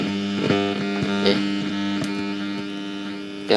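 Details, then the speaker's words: Old Sony double-tape FM/AM radio that won't receive stations: loud constant low hum from the speaker with crackles while tuning on MW; suspected short in grounding, potentiometer or IC, unconfirmed. "Yang MW nangkap siaran ya tuh tuh agak dengung ya ada yang short bisa juga tu potensio"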